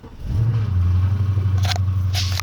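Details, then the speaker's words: BMW 750Li E66 with no-start caused by a popped-out wire at the battery; after reseating the wire, brief crank then the engine catches into a smooth, deep, even idle; starts and runs normally. "Now the car starts."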